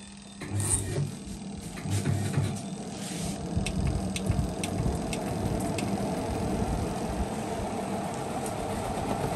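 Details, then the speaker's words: LG WP-1650ROT washer after repairing a spin tub that banged and wobbled: a few clunks as wet laundry goes in, then a smooth, steady spin hum with no wobble. "แปลว่าไม่แกว่งแล้วนะครับค่อนข้างมั่นคงเลยครับ"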